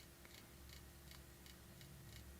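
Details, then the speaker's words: IBM PC 5150 power supply powered on the bench: sharp clicks about every third of a second over a low fan hum; 12 V rail reads 9.9 V and 5 V reads 5 V, possibly underloaded; power supply clicking. "And the fan isn't even that bad. I can hear it clicking."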